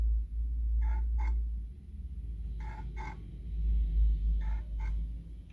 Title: turntable grinding noise